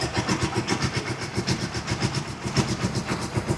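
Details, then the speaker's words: Rusi Chariot 175 trike after a week unused, with the battery still good, started on the third attempt: a steady low thump of about two beats a second with no misses or knocks. Normal idle. "Goods na goods mga ka-best friend. So, nag-stock lang siya ng 1 week. At ito yung under niya."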